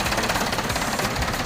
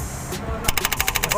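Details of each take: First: Mahindra 475 DI tractor, Lucas TVS starter motor reassembled after repair of broken bush/housing (katora), dirt and oil found inside; steady, fast, even chatter of the diesel cranking, no clicking or slipping from the starter. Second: Mahindra 475 DI tractor, Lucas TVS starter motor: rapid even clacking about twelve per second on cranking; housing (katora) found broken, dirt and oil inside, carbon brushes worn.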